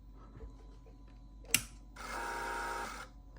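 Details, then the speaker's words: 1999 VW EuroVan instrument cluster on a bench test, powered on after ignition and battery were switched off: a click, then about a second of soft, even buzzy whirring as the gauge stepper motors reset normally. "if I turn ignition off and battery off which it would not happen in the vehicle but when I do that every time I turn this on you will hear that's like all the stepping Motors resetting"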